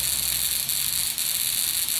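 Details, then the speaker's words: Buzz coil after point adjustment, about 1.2 amps on the meter: even, continuous high buzz with crackling sparks and no stutter; hits the spark tester every time. Capacitor suspected weak, possibly moisture, though the coil functions well. "again it's working really nice when that spark tester and you can hits every time"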